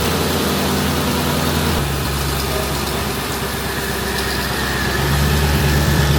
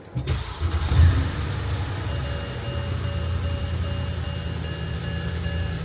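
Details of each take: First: Mercedes-Benz at idle, checked underneath: steady idle with a faint, quick puffing tick about three a second over the engine rumble; small exhaust leak. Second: Mercedes-Benz S550 after its exhaust leak was welded: short crank, catches and settles to a steady even idle with no puffing or ticking from the exhaust. The leak sounds fixed.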